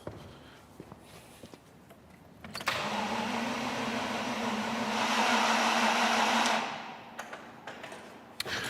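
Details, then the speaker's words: Range Rover V8 revived after years parked, with fresh fuel and a charged battery: steady starter whirr for several seconds with no firing, so it cranks but won't start. No fuel comes from the line cracked at the fuel pressure sensor and the pump can't be heard; the pump supply is suspected. "Well, still no joy, unfortunately. Still no sign of any fuel coming out of our hose here. But also, I still can't hear that fuel pump, and that's really bothering me."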